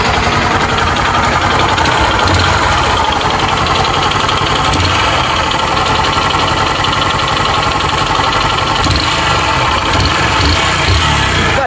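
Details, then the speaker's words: 150 cc motorcycle with a loud, misfiring engine at a busy idle: fast, even rattling tick over the engine note; top-end noise, suspected worn cylinder kit, with possible connecting-rod play. "Parece que é kit cilindro, mas há uma possibilidade da Biel tá com folga."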